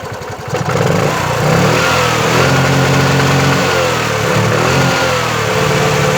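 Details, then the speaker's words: Bajaj Chetak 4-stroke scooter, about 7 minutes after a smooth start, idling and revved: warm single-cylinder engine stumbles and hunts unevenly with dropped beats, knocking and misfiring; plug, carburetor and coil already tried. "आपने देखा कि कैसे इंजन अजीब तरह का नॉक कर रहा है, मिसफायर कर रहा है।"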